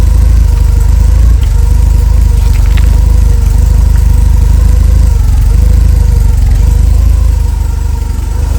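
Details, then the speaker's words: A Porsche 944 with its entire exhaust system replaced, held temporarily by a ratchet strap, gives a loud, deep, even idle rumble with no ticking or puffing; a normal, leak-free exhaust note. "Well, it actually sounds like a real car now. And I don't think there's any leaks or anything."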